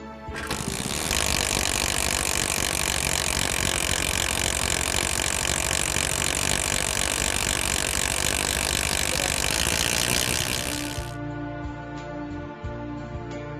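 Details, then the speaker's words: Kawasaki motorcycle engine: continuous raspy ratcheting chatter, about four clicks a second, starting immediately on kick-starting and rising with rpm; partial engagement of kick ratchet gear teeth with the spur gear, one possible cause being a weak kick return spring. "This noise starts immediately on kick-starting of the engine and is heard continuously. This further increases with a rise in engine RPM."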